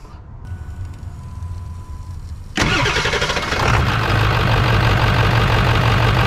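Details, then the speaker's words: 1999 Ford F-350 7.3 diesel after fuel bowl drain valve replacement, cold start: cranks a couple of seconds, fires, then idles with a lumpy uneven clatter; rough cold idle, seems down an injector until warm. Cause suspected, not confirmed. "so i don't know if you can hear the engine's kind of running rough for whatever reason this thing's down it seems like it's down an injector until it warms up"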